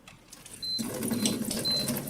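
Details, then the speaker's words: Water ionizer with under-counter conversion kit: high, thin beeps about every half second over rushing water as it enters cleaning mode, acid and alkaline streams switching; normal. "So you can hear it beeping now. What you've got is acid water and alkaline water here."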